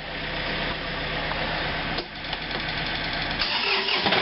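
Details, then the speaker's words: Second tractor: diesel catches and settles into a steady even idle with a clean rattle-free rhythm; healthy start. "Well, let's do a warm inside, nice cold start on this one."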